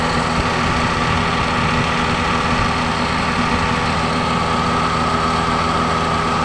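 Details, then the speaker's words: Daihatsu Xenia with AC that blew no cold air; after replacing thermistor and expansion valve, steady idle with even compressor hum and no knocking or squeal as AC is switched on; compressor engages and condenser fan runs, normal operation. "Nah itu terdengar suaraeng sepertinya kompresor sudah aktif ya teman-teman sudah aktif kita coba cek ke depan"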